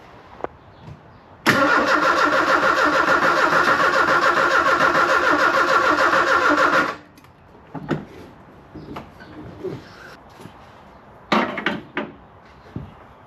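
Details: 1984 Kolb Ford Thunderbird Turbo Coupe parked 35 years, starting fluid tried: even starter cranking around three and a half beats a second for five seconds, never catches or fires; cranks fine but won't start.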